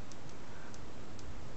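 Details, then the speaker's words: Long wire antenna on a shop roof as a thunderstorm approaches: sharp irregular snapping ticks, about three a second, over a low rumble as sparks jump from the antenna wire to metal on the wall. The owner concludes the wire is charged from the clouds. Static spark discharge. "I just looked and I noticed there's a little spark to keep jumping over here from my antenna wire to that piece of metal on the wall and that means the air is charged"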